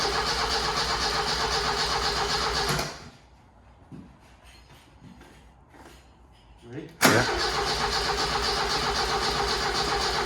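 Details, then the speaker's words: Barn-find Ford Escort RS Turbo Series 2: two long bursts of brisk, even cranking with no firing, after confirming good fuel pressure; engine turns freely but won't start, injector lines from metering unit to be checked. "actually worse than it it's not firing at all now mind you that was quite a lot of spinning over last time"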